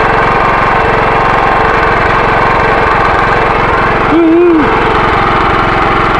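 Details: Generator that would not start after sitting six years with gummed fuel, pull-started after its carburetor was cleaned with carb cleaner and refitted: the small single-cylinder engine putters at a fast, even beat and holds speed steadily, running normally.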